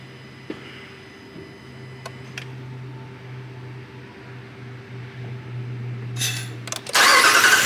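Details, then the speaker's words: 2019 Ram 5.7 no-start, cranked with fuel pressure gauge attached: starter turns engine over steadily but it never fires; gauge needle doesn't move and no fuel comes from the release, no fuel pressure. "So it still won't start. It doesn't look like our needle moved at all."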